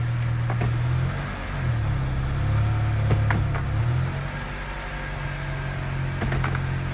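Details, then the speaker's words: 2004 Honda CR-V automatic while driving, after replacing the transmission end cover and refilling with correct fluid to cure whine: steady low road and engine drone with no rising gear whine, so the transmission sounds healthy and fixed. "I don't I don't hear it I think it's fixed"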